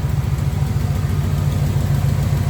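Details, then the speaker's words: 1994 Camaro Z28 V8 idling after new alternator and serpentine belt: even burble, belt squeak gone, slight exhaust tick remains (header gaskets previously done); runs smooth, normal. "That thing, you don't hear that belt squeaking no more. You still hear the exhaust a little tick, but other than that,"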